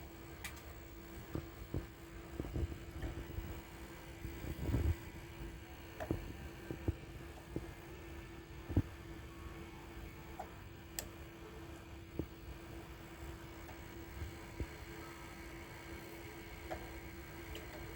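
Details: Sony EDV-8000 deck with TDK tape during playback and fast-forward: sharp uneven clicks about once a second over a steady low motor hum; takeup reel not turning freely, cause unknown.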